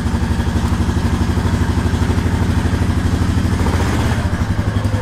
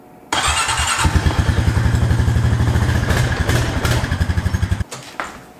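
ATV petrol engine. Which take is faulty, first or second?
second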